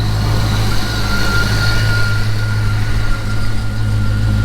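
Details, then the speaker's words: Fox-body Mustang with MagnaFlow exhausts, started after sitting for months with a dead battery: rough start, then deep, steady exhaust rumble with an even beat and no misses. Normal idle. "sounds good with those magnaflow's"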